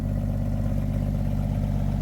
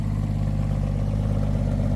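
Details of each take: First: 1962 International B150 farm truck, first start after sitting for years: deep, rapid, evenly spaced exhaust thumps at a steady idle with no miss or stumble, no smoke, an exhaust leak up front; idling smoothly. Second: 1962 International B150 farm truck, first start after sitting years: smooth idle with rapid even puffing tick on each firing pulse from an exhaust leak at the front; not smoking.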